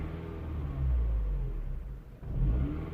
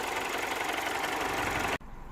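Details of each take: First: 2007 Mini One 1.4 N12 petrol, error 2982, at idle with foot on the brake; speed swells and sags about twice in three seconds, can stall. Intake camshaft position stuck at 0, suspected bad intake camshaft sensor. Surging idle. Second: 2007 Mini One 1.4 N12 petrol after the repair for bouncing idle, stalling and error 2982, heard at the front of the engine: steady, even idle with a light, regular valve-train tick and no stumbles or hunting; running smoothly.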